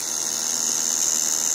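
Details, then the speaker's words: Studio Projects VTB1 preamp after about 30 minutes of use, gain and output at maximum: steady hiss with constant high-pitched buzz that never lets up. Continuous buzz, cause unknown. "Now it buzzes continuously, as I mentioned."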